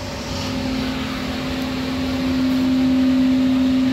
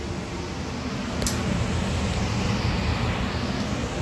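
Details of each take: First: Furnace blower in a first-floor AC unit that began making noise after a power outage; the technician is unsure whether something is stuck; a steady, high-pitched hum over the airflow. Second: Furnace blower after a service call, where noise began inside the furnace after a power outage and the motor was suspected. It now runs with a soft, steady rush of air and no humming: normal operation.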